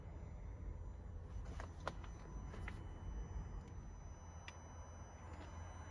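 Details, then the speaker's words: Leased 2021/2022 Renault Trafic Business Plus van, about 800 miles/3 weeks old: a low, steady, rhythmless hum in a quiet cabin. The source is unexplained; the owner guesses the fuel pump and is not concerned. "So it's like a hum, must be like the fuel pump or something. Not concerned about it. I've just never had a vehicle that makes that noise before."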